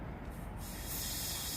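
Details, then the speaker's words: Land Rover L319 whose suspension drops overnight with no fault codes: the removed old air spring is given light air pressure, and a soft hiss swells and holds as air escapes from the rubber. Air spring leak. "i'm just going to put a little bit you don't need a lot of pressure for you to see the leak right there at the back"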